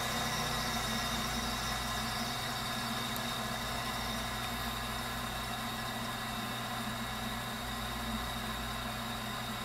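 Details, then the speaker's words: Viessmann Vitodens 200-W WB2B35 condensing boiler, built about 2011 and about 5 years in service, which intermittently stops heating with no fault codes; radiant-loop zone calling for heat. Even, steady roar of burner and fan with no surging, rumbling or cutting out; firing normally. "so as far as I can tell well the boiler is operating as it should be right now"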